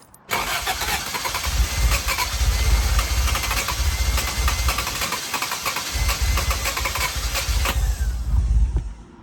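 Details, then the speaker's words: Toyota Celica after head gasket and timing belt job: starter spins the engine at an even four-per-second chug for eight seconds, never catching; crank no start from incorrect ignition timing. "It didn't sound too bad, to be honest. Like, hope that all I need to do is fix up timing. I really hope that's all it is."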